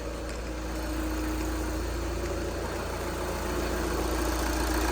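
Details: Salvage-auction 2014 Volkswagen Jetta SportWagen TDI turbo diesel being rebuilt, first start with a charger on the battery after clicking without starting. A steady, even diesel clatter at idle with a smooth low rumble and no knocks or misses. The engine sounds healthy.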